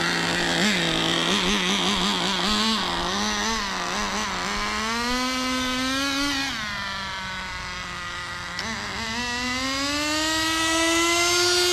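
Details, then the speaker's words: Turbocharged nitro RC car's small buzzy engine rises and sags in pitch, never holding steady revs, then dies; transmission not shifting, transmission suspected burnt out, owner suspects it is running too rich or flooding, cause unconfirmed. "oh no dude I don't know I don't know what's happening transmission don't work she dies on us"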